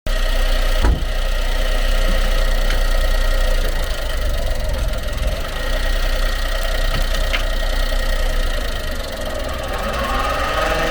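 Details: Honda Acty truck HA9 SDX 4WD 5MT, 218,000 km: possibly early-stage propshaft noise, worst switching forward to reverse; rough uneven knocking and faint whine over engine drone; worn universal joint bearing, under 1 mm play; staked type, propshaft assembly replaced.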